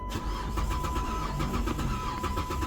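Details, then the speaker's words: Vehicle cranking right after successful ignition key programming: steady starter cranking with even compression beats about four a second, never catches despite fuel; crank no start, a different problem, cause unknown. "uh-oh getting cranky but now I ain't getting the damn thing got gas in it oh my goodness I got gas why ain't it starting all right so we got a different problem"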